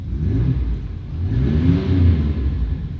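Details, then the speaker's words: 2000 Chevy 1500 V8, non-flex-fuel truck with 35 lb fuel injectors, running E85 for three to four weeks. Deep, smooth rumble rising and falling through a rev, clean and even with no miss, knock or hesitation; no engine or fuel system damage found. "as you can hear it runs it just fine there's been no damage i've been running it for about three to four weeks now"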